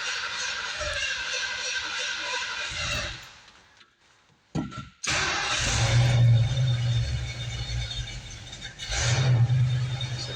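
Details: 1975 Ford F150 with a 351M pushrod V8, just after replacing a broken valve spring on cylinder 3: after a brief start it settles into a steady, even low rumble at idle with good oil pressure and no ticking or knocking; the repair worked.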